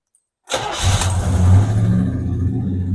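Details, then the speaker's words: 1977 El Camino after 10 years sitting, hot day, suspected overheating; brief crank then fires right off into a steady deep idle with no stumble, reverse and some brakes working. "fires right off. We've got reverse and we've got brakes."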